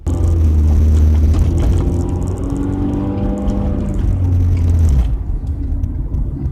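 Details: Car driving around 30 mph after hitting road debris: a deep rumbling drone that swells and falls with throttle, with a louder, rough edge. Exhaust leak.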